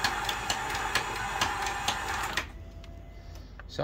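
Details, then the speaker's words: 1998 Dodge Intrepid 2.7 V6 sitting 9 years, cranked on winch battery: quick uneven cranking about two beats a second, never fires; owner suspects broken timing belt/chain. "sounds like timing belt something's already broken belt chain whatever it's got I don't know sounds broken"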